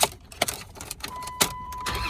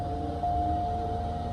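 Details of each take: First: 2005 Dodge Dakota, 177k miles, at an insurance auto auction: starter cranks briefly, engine catches quickly and settles into a smooth, steady idle with no knocks or misses; sounds good. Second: Toyota Avalon idling at an insurance auction: a steady mid-pitched whine holds over the engine throughout, coming from a noisy cooling fan; cause not determined.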